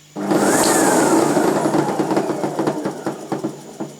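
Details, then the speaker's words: Sebo Professional G1 upright vacuum after reassembly: the motor whirrs with irregular ticking clicks and the fault persists. Brush drive noise; owner suspects a defective belt, but the cause is not pinned down. "I'm gonna plugged in let's see how it goes no good still doing it unbelievable"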